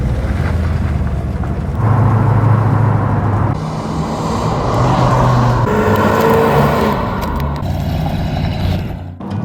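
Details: 1969 Ford Mustang Shelby GT500 V8 after blown head gasket repair, antifreeze-flooded engine and exhaust cleared: deep rumble on test drive, pulling cleanly through gear changes with road noise, no misfire or ticking; normal engine running.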